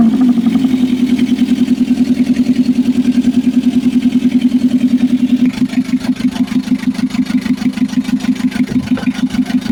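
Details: Mitsubishi L300 FB diesel, hard starting solved by replacing fuel pump and repairing wiring, starter, alternator and ignition switch: starts and settles cleanly into steady, even idle with regular firing beat, no misses; healthy.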